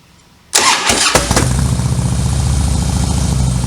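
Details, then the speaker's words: Harley Softail V-twin with slip-ons and high-flow air intake, Daytona Twin Tec Twin Tuner installed, no check engine light: short crank, quick catch, then settled loping idle with an even beat; starts and runs great. "We verified there's no check engine codes. We went through the throttle and went out on a quick test ride, and the thing runs great."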